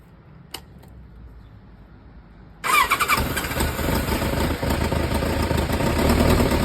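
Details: Kawasaki ZZR1100 D with SP Tadao muffler swap: after a quiet start the engine fires into a busy idle with a loose, clattering rattle; owner unsure whether mechanical noise or an exhaust leak.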